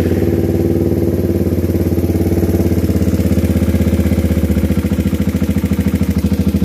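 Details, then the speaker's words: Raider 150 carb motorcycle, freshly overhauled with a replacement manual cam chain tensioner; the tick reportedly shows up when the engine is hot. Steady idle with a fast, even light ticking, about three per second, over the exhaust beat. Cause not yet found. "Pero may masyadong maingay kasi sa makina nito. Bagong overhaul to, tapos naka manual tensioner, pinalitan na nila."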